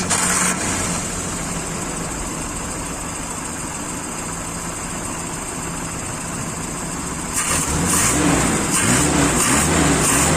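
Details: Daihatsu Zebra carbureted engine just after carburetor service: settles into a steady, even idle, then picks up cleanly when revved, with no stumbling, popping or misses.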